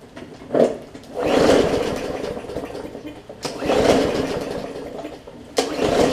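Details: Bolens push mower with Briggs & Stratton engine: several pull-start bursts, each a rough whirring spin that dies without firing even after new plug and cleaning; cranking no-start, bad fuel suspected, not confirmed.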